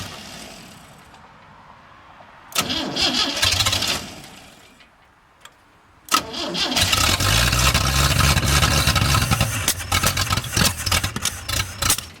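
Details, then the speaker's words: 1937 Chevy with Chevy 250 six-cylinder not run in years, five-speed, cold-blooded; cranks, catches briefly, then settles into a loud, slightly uneven idle; ignition timing thought to be a little out. "yeah I think it's a little bit out of time it runs though now I can proceed with it"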